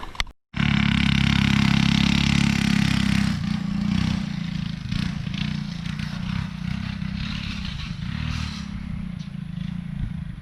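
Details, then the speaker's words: Go-kart with alcohol-fuelled 212 engine and newly installed torque converter: engine note drops under a rattly, scraping clatter about three times a second while driving; so much torque the drive chain bent and twisted, possibly installed the wrong way round. "sounds like a chain Master Mike went oh my gosh yeah we might want to consider turning that around huh"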